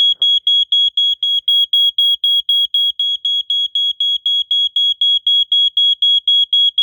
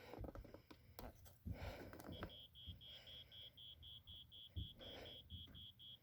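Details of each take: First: 1987 Wake and Warn 2 smoke detector, good unit, triggered with the last test spray: loud high-pitched beep pulsing steadily about four times a second in a quiet room, staying on a while; smoke alarm sounding normally. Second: 1987 Wake and Warn 2 smoke detector with rusted battery compartment, cleaned up, sounded via test/spray: thin, faint high-pitched beep about three times a second, barely above room noise. Weak smoke alarm sounder.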